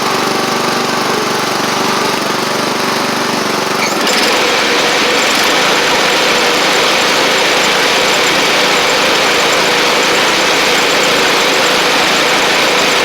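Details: Sabre riding mower after drive belt, blades, head gasket, carburetor and coil replacement, about 32°F outside: steady, even engine drone that settles after a few seconds and holds speed without misses. Residual oil smoke from the old head gasket burning off. Normal running.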